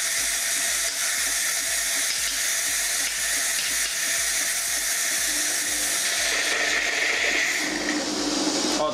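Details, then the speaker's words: Philips LatteGo coffee machine, empty milk container: steady, even steam hiss flows freely through the upper solenoid (milk) valve once it heats up, with no sputter or choking. The valve opens and passes steam normally. "now you know the milk should be frothing, I don't have anything in this container so it's flowing the steam"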